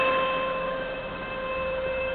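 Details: 1999 Saab 9-5 2.0T, 156k miles, cold engine: steady high-pitched whine until warm; caused by thick sludge buildup in the sump starving the oil pickup, fixed by removing and cleaning the sump and strainer/pickup.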